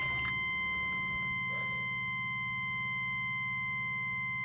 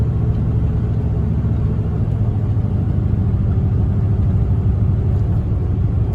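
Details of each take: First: Truck with 6.5 diesel after fuel-system work that loses fuel pressure, dies when given fuel; fresh 5 gallons added, first start: steady cranking that won't catch, still hard starting, possibly air in the fuel lines, not confirmed. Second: 6.5 diesel truck after a fix for losing fuel and dying under throttle; a plugged fuel sock in the tank is believed to be the cause. After 15 minutes of driving it shows a deep, even rumble, pulls smoothly, accelerates well and blows black smoke.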